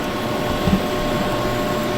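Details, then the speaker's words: Used Ford 6.7L Powerstroke diesel, key cycled to prime fuel system before first start attempt: steady electric pump hum with faint whine, no surging or rattling, no leaks seen; fuel priming pump working normally. "we're going to cycle the key a few times just to make sure before we even try to start this thing so we got the thing priming and there's no leaks that we can see in there"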